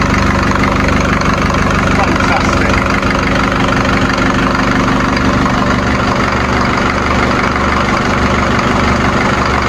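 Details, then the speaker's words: Series 2 Land Rover diesel on first start in three years, on 3-year-old diesel after a new starter motor was fitted and the battery found weak. Steady, even clatter at idle, no misses, knocks or hunting: normal diesel idle. "Petrol engines are nice, but nothing sounds like a diesel. See the diesel moving in there. 3-year-old diesel. But she's running sweet as a sewing machine."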